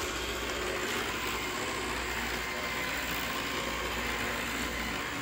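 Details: Roomba 694 running on carpet, where the noise only happens: a steady rough grinding hiss with gritty ratchet-like chatter under the motor from the brush area; cause not yet clear.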